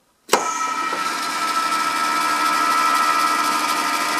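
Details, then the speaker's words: Ariston lathe spindle running after scraping in the front spindle bearing: steady even hum with a faint clean tone, no knock or rattle; much quieter, earlier clatter gone; still running in, play to be measured later. "Lauf ist viel ruhiger das plackern ist weg"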